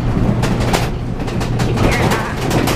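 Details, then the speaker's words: Horse trailer being towed over rough roads, heard from inside: loose, uneven rattling bursts over road rumble from the ceiling as the trailer bounces. The door also rattles, and weather stripping is suggested to quiet it. "That door though is going to be really rattling. I'll have to put something on that door. So the ceiling is rattling right here."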